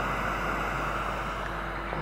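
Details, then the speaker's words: BIG 900BV amplifier, tapping on preamp components: one channel's speaker gives a steady rustling hiss like surf, growing louder with volume while the other channel works normally. "Метод простукивания, то есть вот шуршание, смотрите какой. Слышно, динамик шуршит."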